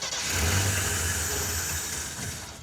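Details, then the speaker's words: Off-road AMC Pacer with Holley Sniper 2-barrel EFI: engine cranks and briefly tries to catch but never picks up; the electric fuel pump does not key on, so there is no fuel delivery. "Well, the fuel pump would still run. You would hear it go, Cranking. okay? Yeah, it's got no fuel."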